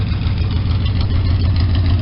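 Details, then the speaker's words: Small engine running again after an ignition points job, warmed up and timed at 12 degrees BTDC at 800 rpm: steady, even low rumble with a smooth regular firing beat and no misses or knocks; normal idle. "it's got you know decent throttle response you know that's just the happy spot so he's running again and sounding better than ever"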